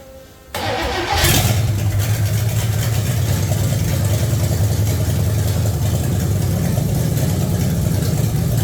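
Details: 1966 AMC Rambler Rebel 327 V8 with Holley Sniper EFI, first start after reassembly with exhaust not yet finalized: cranks and catches quickly, then a deep, slightly uneven idle that wanders a little, hunting.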